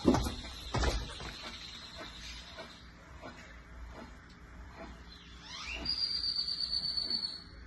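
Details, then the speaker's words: 2013 Fiat 500 raised on lift, good driver-side rear wheel bearing hand-spun for comparison: wheel turns quietly with a faint, slowing tick each revolution; opposite passenger side bearing roars above 30-40 mph. "and then I'll spin the other side, the driver's side, so you can hear what a good one sounds like."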